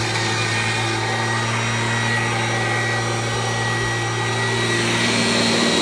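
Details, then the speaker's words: 1997 Kirby G5 upright vacuum with a metal fan sent by a Kirby collector, run with no dirt: a steady even motor whine and constant fan hum with unchanging pitch; owner says it sounds like a vintage 500-series Kirby; normal running. "this car be here sounds like a vintage 500 series Kirby left that fan so that's pretty cool"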